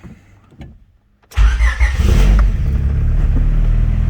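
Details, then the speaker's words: Turbo B20-swapped Honda Civic after fixing a wastegate that leaked for about a year (missing collar, had been patched with JB Weld): starter whirs, engine catches with a rev, then a steady, even idle; much quieter, nothing blowing out of the dump. "oh yeah that's how it should be wow yeah that's much quieter so now there's nothing blown out of our dump there at idle"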